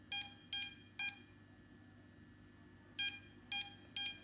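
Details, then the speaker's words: DJI drone with ESC beeping triggered from the DJI Go4 app's find-my-drone feature: sharp high-pitched beeps in groups of three with pauses, a locate signal for a downed drone. "you can select smart LED or ESC beeping which will put that little distress sounds and help you hear where the drone may have come down"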